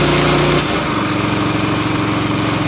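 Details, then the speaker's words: Honda GX160 driving a Ridgid 90135A air compressor, after a new coil was fitted for shutting down when hot; high idle is set near 3,600 rpm. The fast run drops smoothly to a slower idle once the tank fills; normal kick-down. "there's the kick down so if I opened up the safety valve it would let air out of the tank and then it would kick the RPMs up to refill the tank"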